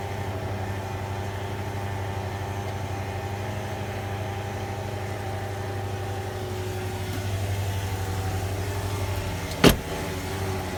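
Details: 2003 Range Rover at idle after sitting four days, shortly after a garage fitted new timing chains and guides: a steady high whine over the idle, coming from the lower timing chain cover area; cause unknown, not fixed. Vibration when accelerating.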